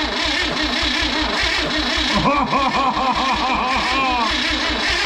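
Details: Freebie 235 inline six after new points and plugs: steady rhythmic cranking with brief ragged bursts as it tries to catch, then back to cranking; cranks but won't start.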